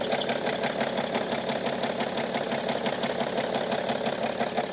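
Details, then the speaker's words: 2008 BMW E65 730d diesel idling after mostly voltage-related fault codes were cleared: a sharp, regular tick-knock about three times a second. Owner suspects a bearing issue. "i'm just gonna delete the fault memory kind of sounds like we have a bearing issue"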